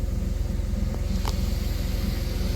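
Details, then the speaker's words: 1990 Dodge Grand Caravan LE, likely original engine with 275 on it, first start in at least 7 months on a full tank, oil pressure up and charging: steady, even low idle with no ticking or knocking, quieter than when bought. Normal idle. "and she's running. Listen to that motor pur. Remember how ticky that was when we first bought it? That motor is dead silent for 275."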